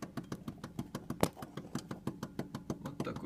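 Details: Kia Ceed, right steering tie rod rocked forward and back by hand: dull knocks about three per second; play in the right tie rod suspected, the left side is silent.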